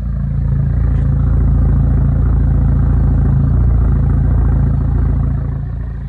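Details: Chevrolet Cobalt SS idling with the oil cap removed; low idle with an uneven pulsing shake, about four beats a second, that comes and goes: rough idle.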